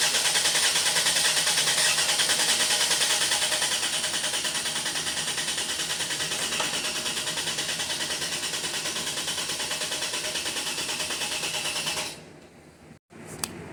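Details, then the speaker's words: 2016 Mercedes GL450 M276 V6 twin-turbo with P0011/P0016 timing codes and a suspected shifted cam trigger wheel: deliberate crank-no-start for cam/crank waveform capture, even starter whirr with steady compression pulses about three a second, never firing. "We are just going to get a crank no start. We're going to take the same cam and crank measurement."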